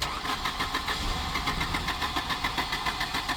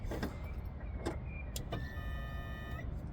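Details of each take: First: Volvo 240 with K-Jetronic injection at about 15°C, previously started and cut out: steady cranking about three and a half beats a second never catches; crank no start, cylinders flooded with fuel. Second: Volvo 240 with K-Jetronic injection, cranking with airflow plate pushed up to force fuel through; thin steady high-pitched scream over cranking rumble for about a second is normal K-Jet injector buzz, though engine won't start.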